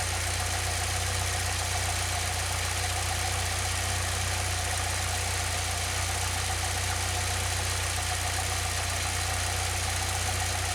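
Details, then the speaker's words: 2006 Saab 9-3 2.0t after new spark plugs for intermittent stumbling, started near cold mark, a little over 1,000 RPM: steady, even idle, low smooth drone, no misses or knocks; sounds good, full cold start still untested. "Oh, it sounds pretty good to me. I guess I really won't know until we get like an actual full cold start out of this thing."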